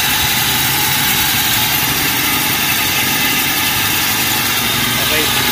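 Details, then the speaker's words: Toyota Revo, warm idle: constant gritty whirring rattle from the belt end; the tensioner pulley is loose and its bearing worn and very noisy, pulley to be replaced; tensioner pulley bearing noise. "Okay so ang problema nito is Yung kanyang pulley guys napakaingay nitong bearing"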